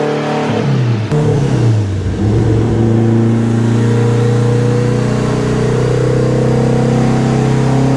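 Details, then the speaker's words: Honda K-series all-wheel-drive Civic on dyno, second tuning pull: hard revving pull, one sharp crack, revs sag into a rough coast-down; threw a connecting rod at 164 with gauges reading fine. "Something's not happy. Yeah, that's a problem. Yeah, that's a problem. It chucked a rod."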